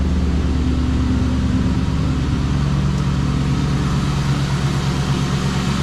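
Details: 1996 Mustang GT V8 after new spark plugs, wires and coil packs with the cold air intake refitted: deep, steady idle burble with a smooth low rumble and no misfire or ticking; healthy.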